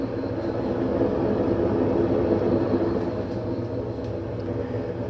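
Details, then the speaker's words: Fisher & Paykel direct drive top loader washing machine: loud continuous low rumble with gritty grinding while the drum spins, from worn main drive bearings (6005 2RS); bearings and shaft seals replaced. "it does however now have an issue when it's going it's it's very noisy"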